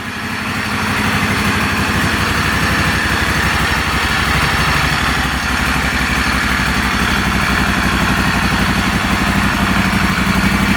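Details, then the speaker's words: Normal idle of a replacement Moto Guzzi Stelvio V-twin engine, first start after sitting six to seven years, run without the air box and with some smoke: steady loping idle, about four even pulses a second, no knocks or misses. "actually runs very nice"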